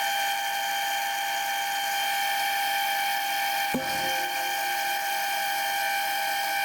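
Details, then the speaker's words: Lathe boring a face mill sleeve toward 25.38 mm after fitting a new boring bar: steady high-pitched cutting whine with one brief knock, otherwise even and chatter-free. "Right, I changed the feed rate, and that looks and feels a lot better."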